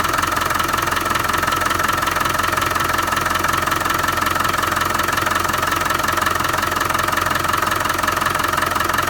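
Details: Land Rover 300Tdi diesel at idle: steady, sharp, even metallic knock about three times a second over the idle; source undiagnosed, owner seeking ideas on the cause.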